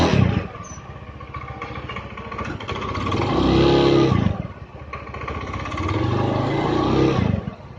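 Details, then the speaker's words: Honda Beat scooter idling after a full engine teardown, then two smooth throttle blips with no knock or rattle, running normally; slightly sluggish response, possibly a dirty fuel pump. "Nah, oke teman-teman ya, tadi udah hidup normal ya."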